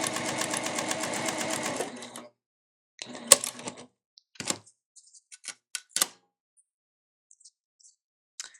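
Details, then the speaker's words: Elna eF1 semi-industrial sewing machine, new, with needle indicator set to top: even stitching stops, then a sharp clunk and scattered clicks as the thread cutter fires; clunky only on cutting, cause unknown. "definitely did better that time with the cutting but it does sound just a little bit clunky I'm not exactly sure only on the thread cutting part something sounds a little clunky and off"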